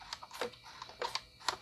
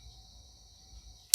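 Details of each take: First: IBM PS/2 L40 SX laptop (1991) at first power-on, leaking capacitors, blank display: irregular sharp floppy seek ticks and buzzing chatter about twice a second after hard drive spin-up; no visible boot. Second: IBM PS/2 L40 SX laptop (1991) floppy drive after recapping leaking capacitors, booting reference disk: faint steady spin whine, sharp seek click and smaller follow-up; seek sounds stronger, drive reads normally.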